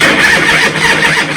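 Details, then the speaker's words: Motorcycle fitted with a new motor in its existing high-torque starter housing, after solenoid and cable refits during a voltage-drop hunt: a brief harsh gritty grind as the starter engages, then it spins more freely; a clear improvement, battery starting to go down. "Well, that's 100% improvement. A little bit of a grind to begin with. So that is an improvement."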